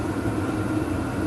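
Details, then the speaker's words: VEVOR 8kW diesel heater in run state drawing 25–53 watts: steady even burner-and-fan roar with constant hum underneath, no surging or misfiring; normal running. "so yeah she's firing up you can hear the fan pumping the heat through the burn is roaring"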